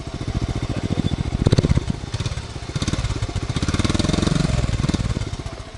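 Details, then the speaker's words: A never-ridden, low-mileage 1986 Honda Z50R, unridden for 30 years, idles with a quick, even single-cylinder putter and steady beat. There are no knocks or rattles, only the noises it is supposed to make: healthy. "No noise. No noise from the motor other than the noises it's supposed to make. Music to my ears."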